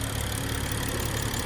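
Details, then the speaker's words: BMW 335i warm idle: steady, even idle with light ticking sewing-machine patter over a smooth low hum; runs normally, though the high-pressure fuel pump is failing and setting codes. "Car runs really flawless. That sewing machine sound, y'all know how that go."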